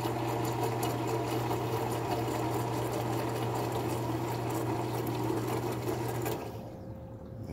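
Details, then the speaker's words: Condensate pump motor hums with gurgling water for about six seconds, pumping slowly, then shuts off. The float is suspected of sticking, and the pump is to be cleaned. "Looks like it's pumping. Kinda. It's pumping, but it's kind of slow. I think we're gonna clean this pump out."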